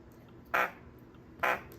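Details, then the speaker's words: 2015 MacBook Pro 13-inch, external speaker unplugged, playing through its own blown right speaker before the glue repair. Two short raspy, buzzing, rattly bursts instead of clean sound: blown speaker distortion. "Mas veja o que acontece quando tá estourado o alto-falante do notebook."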